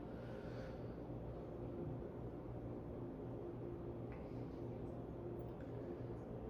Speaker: Bearings are good. No wobble whatsoever on this thing. And performance-wise, it's actually pretty pretty solid little performer for a 42-in fan.